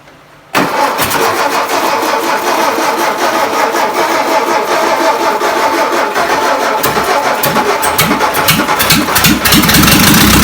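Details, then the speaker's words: 1959 VW Beetle started after sitting about 45 years, exhaust rusted out with no muffler, carburetor needing a rebuild and distributor needing work. It runs loud and raw, a harsh open crackle with no damping. "Carburetor needs to be rebuilt. Sounds pretty good though. No exhaust. Sounds like a hot rod."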